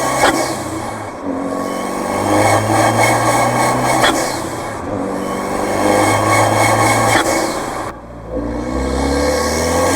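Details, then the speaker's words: Fiat 124 Spider Abarth with Forge atmospheric blow-off valve on the soft yellow spring: under light load at low rpm the engine swells and sags with sharp air puffs, boost surge; fixed by fitting the harder blue spring. "so right there you can clearly hear that surging and you can see it i know when i drove it i felt it it was just not pulling smoothly on the lower rpms"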